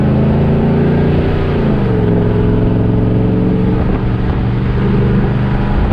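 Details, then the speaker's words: RV after a new fuel pump fixed a no-power problem and a new exhaust, driving up to 45 mph. Deep throaty exhaust drone dips and settles with speed, firing evenly with no misses or stumbles; engine pulling healthily. "i love the sound out of this thing so i'll let y'all be able to hear the sound out of it"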